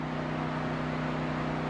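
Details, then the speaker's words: Subaru that won't crank after 3 months of driving, at key-on: dash, chime and stereo power up, a steady even cooling fan hum, no cranking; low voltage on pin 2 of the ECU connector suspected of underpowering the ECU. "you'll hear the cooling fan is on now I don't understand the correlation between why all of that is happening and why the fan is on"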